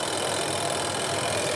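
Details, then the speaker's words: AQUA QW-781 XT twin-tub washing machine spin dryer after replacing the dryer seal and drain hose; steady, smooth whirring, no knocking or scraping, brakes when lid is lifted and resumes when closed; spin running normally. "ketika kita angkat dia ngerem sobat ya kita kita ketika kita tutup dia kembali berjalan suaranya lembut ya kita matikan suaranya lembut"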